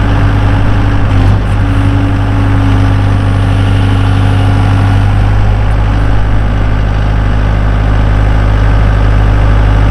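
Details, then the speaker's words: 2012 Bobcat S185 skid steer with a 4-cylinder turbo diesel and 6693 hours, idling: steady, even low rumble with no knocks, misses or surging. Smooth and healthy. "This is a 2012 Bobcat S185 diesel skid steer. Just listen to this thing purr."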